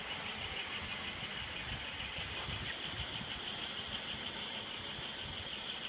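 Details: 1995 Pontiac Bonneville 3.8 L V6 (3800 Series II), 115,000 miles, at idle: thin steady high-pitched whine, unchanged with serpentine belt removed; compression 180 psi all cylinders, power loss noted alongside; source unidentified.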